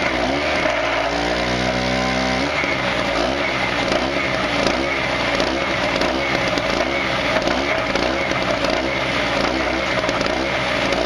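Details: Harbor Freight 900 peak/700 running W generator, 63cc 2 HP air-cooled two-stroke, governor pinched open, loaded by a stick welder: drones hard, dips and strains, never picks up revs; bogging, lacks initial surge to run the welder.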